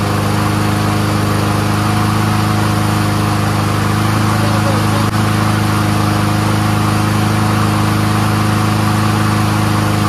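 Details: Troy-Bilt 21-inch front self-propelled mower with Honda engine, warming up: steady, even single-cylinder drone with no misses, surges or knocks; runs smooth on full choke and full run, carburetor clean.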